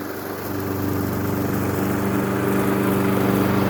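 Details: Honda HRX217 mower test-run at full throttle after fitting new Oregon 21-inch tungsten-carbide mulching blades in place of worn, damaged ones. Steady single-cylinder drone with no rumble, wobble or knocking from the blades, so it runs smooth and balanced.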